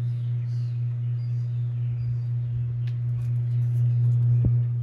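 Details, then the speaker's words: 30-inch Home Trends Rainbow hugger ceiling fan on a porch, running on medium after a blade was realigned: loud steady low motor buzz near 120 Hz, unchanging as the blades turn; the mounting bracket is flimsy and creaking. "hear this thing buzzing it deserves to be out here anyway"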